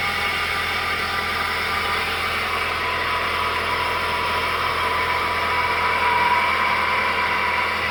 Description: Car makes weird noises when it first starts up. Not sure what it is.